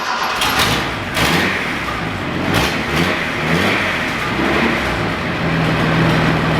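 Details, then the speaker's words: Datsun 240C after new plugs and distributor fiddling, exhaust leak still present: engine catches with uneven rev blips then settles into steady idle, running but not perfectly smooth. Engine running. "Righto. So that runs."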